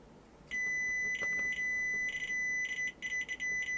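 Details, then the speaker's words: Sony Super Beta SL-HF600 Betamax (711B2 deck) cassette-down switch under continuity test: tester beep cuts out in uneven bursts instead of a solid tone; intermittent contact from dirty switch contacts needing cleaning. "right so I need to clean the contacts on the cassette down switch means taking this off that's a bit of a nuisance"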